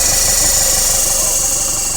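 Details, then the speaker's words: Mitsubishi Montero diesel idling with all belts removed. Harsh, rapid, regular clatter with a hissy edge persists, and a timing belt tensioner is suspected; MAF sensor was ultimately found to be the problem. "Tanggal lahat ang belt niyan. Ayun, maingay pa rin, Kuya Ditz,"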